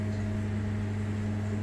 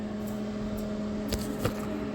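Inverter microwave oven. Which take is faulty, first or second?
second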